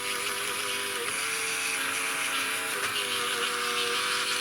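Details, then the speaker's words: Model railway loco yard turntable on Tri-ang Super 4 layout, run from a controller, lubricated, Hornby Dublo Class 20 aboard: loud continuous high whir with wavering gear tones; noisy but steady, normal drive noise for this type. "so around we go now i don't think it'll get much quieter than this it's all been lubricated and i think it's just the way they worked but interesting noises again"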